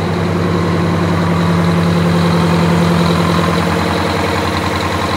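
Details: Wanderlodge bus diesel after kingpin work, new oil pan gasket, fresh coolant, oil, transmission and hydraulic fluids, brief run: steady even idle with low throb, no knocks or misses; normal idle.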